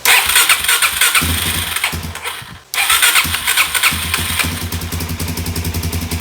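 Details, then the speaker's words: 2017 Suzuki DR-Z400S after carburetor cleaning and priming, improperly stored with old fuel left in carb: single catches, stumbles, dies, refires and runs ragged; running lean from partly blocked slow jet, fuel screw to be set to three turns. "i think i need to go to that three turns on the fuel screw so i'll do that off camera with my special tool"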